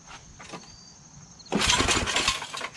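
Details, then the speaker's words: Yard Machines 8HP Tecumseh snowblower, old fuel likely left in over summer, full choke, high throttle, not priming, carburetor probably clogged: crisp crinkly metallic rattle while pulled over, sounding like a loose screw; it does not start. "some kind of a crinkling rattling thing sounds like there's a screw loose i got a screw loose"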